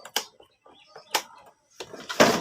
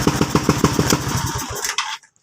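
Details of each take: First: Suzuki Skydrive scooter that wouldn't start and had an unstable, hunting idle even after a spark plug change; piston sanded, carburetor cleaned. After several start attempts it catches into a rough, stumbling idle: misfire from an intake manifold rubber air leak. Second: Suzuki Skydrive scooter after the hole in the intake manifold rubber was sealed with glue: the single-cylinder kick-starts without choke and pops along at an even, slightly high idle before shutting off; the misfire is gone.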